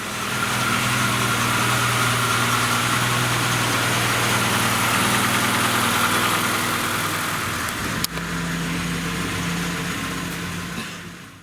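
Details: Petrol engine with a January 7.2 ECU, after valve adjustment and timing chain tensioner replacement, with no stored faults: it idles smoothly and evenly, with no ticking or knocking from the valvetrain or chain.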